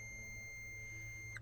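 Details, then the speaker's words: Classic Mini Cooper idle switch, freed up and lubricated, tested off the car; steady high continuity beep for over a second when pressed, then cuts off; switch working. "just testing continuity with the switch should push the button it should work"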